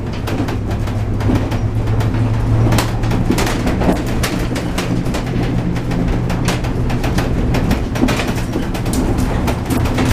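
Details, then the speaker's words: Horse trailer towed on rough roads: irregular sharp rattles and bangs over heavy road rumble, with the ceiling rattling and the door rattling hard. Thin sheet-metal dividers also vibrate. Suggested fix is weather stripping on the door and welded metal bars instead of sheet-metal dividers. "So the ceiling is rattling right here. You can hear that."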